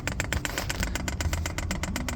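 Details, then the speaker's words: Newly installed diesel heater on a lorry set to prime mode: fast, even clicking of about eight per second over a low drone. The fuel pump is priming normally, drawing diesel through the fuel filter via temporary tubing. "Fuel pump's working away. And you can see that fuel is now starting to make its way through the fuel filter."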